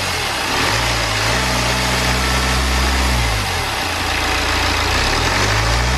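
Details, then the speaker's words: BMW N47 diesel engine, first start after timing chain replacement and reinstallation; earlier no-start was a flat battery. Steady, even, settled diesel clatter at idle with no knocks or rattles; normal healthy idle. "okay then so we finally managed to get these things started I'm so happy"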